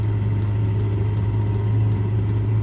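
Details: Diesel heater shortly after start-up, burning off stuff sprayed in: a steady low roar with a faint regular fuel-pump tick two or three times a second; it is starting to put out heat and burning cleanly.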